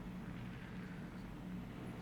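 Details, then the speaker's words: 50cc Lance Cabo (SYM) twist-and-go scooter on stand after drive belt replacement, test run: steady fast-idle buzz, even and smooth, no rattles or squeals from belt drive; running normally. "Last thing we're going to do is fire it up and do a quick little test run while it's on the stand. Make sure the back wheels moving, there's no weird sounds,"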